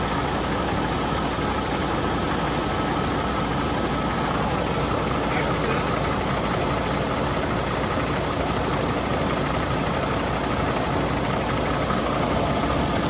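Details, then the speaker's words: Cummins-powered truck started after more than 6 months sitting, idling without a muffler: loud, raw diesel idle with a steady, even clatter and no misses or knocks; normal idle. "So, Bruce, it runs. It does run, and I love the way it sounds before it goes into the Muffler."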